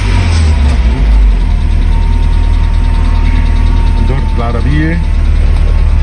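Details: 1995 Mercedes-Benz E220 2.2i W124 Cabriolet after immobiliser key synchronisation fixed a no-start: engine catches and settles into a steady, even low idle with no misses or knocks; runs smoothly.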